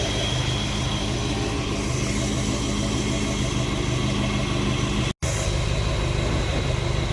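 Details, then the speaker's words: 1970 Dodge D100 V8 idling after cam swap with DLC lifters and cam break-in: steady, smooth idle with even low rumble and rushing fan air; no ticks or knocks, healthy. "It is really good to have my truck back running good. I was really nervous during the break-in. I'm all I'm always nervous during the cam break-in, but it's sounding good."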